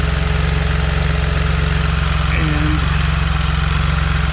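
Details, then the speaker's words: Can-Am Spyder RT at warm idle after a service (Amsoil oil, HCM/transmission filter, oil filter and fuel filter): a steady, even low rumble with a smooth pulse and no knocks or misses. No drips were found on the HCM filter, transmission or motor. "It's been warming up for a little while. I'm just checking for leaks."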